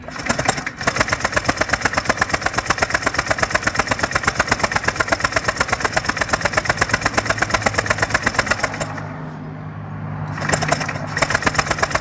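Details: Honda PCX150i scooter that won't start after sitting a long time, battery charged. Fast, even starter whirring at nearly three strokes a second with no catch or firing, a short pause, then more cranking. The plug shows spark; the cause is not yet found.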